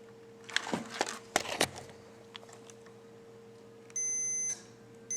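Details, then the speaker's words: Riding lawn mower key ignition switch tested with multimeter clamped to ground in off position: probe clatter then steady continuity beeps, showing the 12-volt terminal also touches ground and coil wire. Ignition switch terminal shorted to ground. "can hear it beeping. So it's touching that, and of course the coil wire right there. So it's touching this and that."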